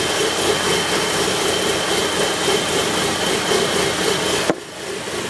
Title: Rough Idle